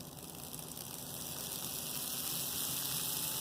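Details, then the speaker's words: 40-year-old Bachmann GP30 pancake model train motor after rebuild (gears smoothed, thrust washers shimmed, now starts at about 5 V instead of 7 V): steady whir with soft hissy buzz, gradually louder; normal running. "It sounds pretty decent. Remember, this is a 40-year-old motor, too."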